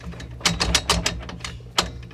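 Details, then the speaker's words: 1993 Jeep Wrangler YJ on a lift, noise persists after the rear U-joint was replaced: sharp loose metallic clicks and clunks in quick bursts as the front drive shaft is shaken by hand, lots of play; owner suspects the original front U-joint. "so if we go back more than likely I might end up having to replace this U-joint because if I give this a shake"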